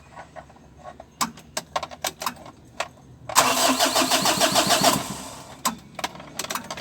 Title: (397) L300: HARD STARTING BA?